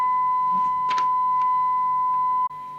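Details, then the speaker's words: 1981 Suruga-made Grandstand CB 27/81 base station receiver, 100 µV S9 test signal, after aligning the ratio detector: steady pure tone near 1 kHz, no buzz or distortion, waveform symmetrical on oscilloscope; clean receiver audio. "that now sounds super duper the waveform looks right on my oscilloscope and it's totally um even it's not non sinusoidal in other words lopsided"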